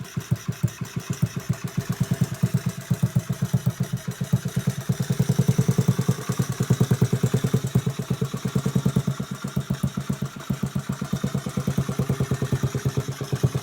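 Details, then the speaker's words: Restored 1986 Honda Z50R pit bike with an aftermarket exhaust: small single fires in an even, steady beat, picks up briefly mid-clip and settles back. Runs clean and healthy. "it's got an aftermarket exhaust i found for the bike it runs pretty good"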